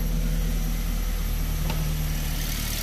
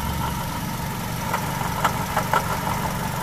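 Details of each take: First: Perodua engine, Toyota-like, after diagnosing and fixing a front-engine grinding noise: steady, even idle with smooth low hum, no grinding or rubbing; now quiet and healthy. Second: Engine heard from underneath at idle on a lift, grinding in front engine area, louder with A/C load: rough, gritty whirr over a steady idle, pointing to a worn water pump bearing.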